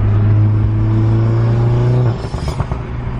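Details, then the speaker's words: Tuned MK7 Golf R with new Trackslag 4-inch V-band catless downpipe installed, driving early morning: deep steady drone under load, then loud crackling pops and bangs as the throttle closes; healthy exhaust with overrun pops. "all right I know there weren't any ridiculous spot buys or anything but she does sound good and the Pops are ridiculous definitely digging it"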